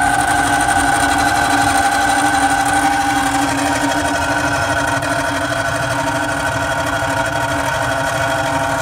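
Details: Carrier 800 TS Weather Maker furnace: steady mechanical hum with rough grinding rattle pulsing about twice a second; worn blower motor, needs replacement.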